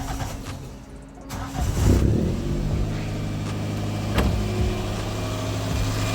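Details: Wrecked Toyota Corolla with idle surging up and down and overheating: engine fires, flares, then holds a steady high idle that never drops; owner suspects the throttle body sensors, not confirmed.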